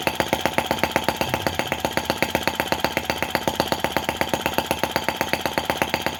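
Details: Brass half-tracked Lanz-type T16B model tractor on its first run, in reverse. A slow, crisp, very even firing beat of about four a second with no misses or knocks: normal running.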